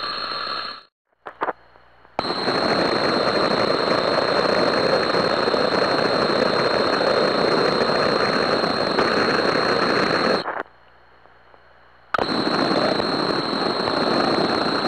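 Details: UL101 ultrasound detector on a pump motor: loud, harsh crackling hiss with a thin steady whistle, compared with a normal bearing in a similar pump; suspected defective motor bearing.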